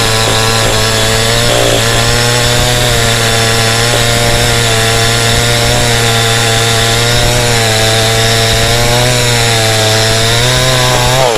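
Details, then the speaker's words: Cheap model 5200 two-stroke chainsaw with small chain and bar, cutting wood: strong steady howl holding pitch under load with no bogging; no power loss, normal cutting. "จากการทดสอบเบื้องต้นนะครับผมพี่โตก็รู้สึกว่าสามารถตัดไม้ได้จริงนะฮะแรงดีนะครับผมกำลังนี่ไม่มีตกเลยนะครับ"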